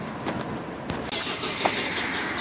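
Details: Nissan Titan start-and-stall: the engine cranks, catches with a few rough firings, then dies; it floods badly and blows black smoke, and a fuel pump fault is suspected.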